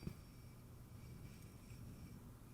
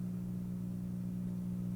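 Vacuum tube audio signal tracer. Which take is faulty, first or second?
first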